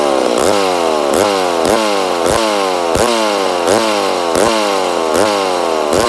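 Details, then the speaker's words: Rebuilt McCulloch Super Pro 80 chainsaw, first start. Revs rise and fall on their own about once a second, hunting instead of holding steady; an air leak is suspected, not confirmed. "oh a sounds like we got air leak definitely sounds like she got an air leak but she does sound good yeah I'd say we have an air leak somewhere"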